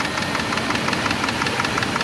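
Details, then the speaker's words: Warm idling Dodge 4.7L engine: a quick, even light ticking several times a second, traced by stethoscope to the valve cover. It persists after new lifters were fitted, and the owner suspects those replacement lifters are failing; unconfirmed. "So, it's clicking. You can hear it. And I use the stethoscope. It's It's coming uh from the valve cover and uh man, I thought I had it."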